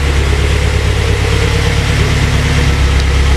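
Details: Honda S2000 first start after the engine work, with no coolant yet so it only runs briefly: a vacuum leak was fixed and it now runs much better, with a deep, even idle, no misses or hunting, and 67 oil pressure shown.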